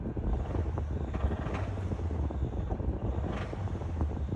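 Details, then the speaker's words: 2011 Honda Fit manual bought as-is from an auction: a low rumble with a dull, repeating knock under wind noise. The engine is bad, with a rod knock. "so I bought this car online I got two surprises when it came to the dealership one the engine is bad listen to the knock"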